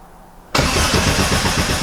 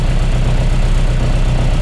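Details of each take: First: Mk1 Austin Mini with an Arden 8-port head, cold start on a hot day while refining the cold-start fuel map: it catches and runs briefly, then stumbles out. It won't run without throttle, so the map needs tweaks. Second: Mk1 Austin Mini with an Arden 8-port head during cold-start mapping, idle target 950 rpm at an air-fuel ratio of about 13.5: low, even rumble with no misses or hunting. A healthy idle.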